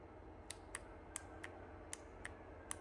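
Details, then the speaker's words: Hobart welder/generator no-start, fuel shutoff solenoid bench-powered: sharp dry clicks roughly every half second as the plunger pulls in and drops out; electromagnet works, plunger was sticking, to be cleaned. "so the plunger cycle so it was just sticking in there so we're going to attempt cleaning that up"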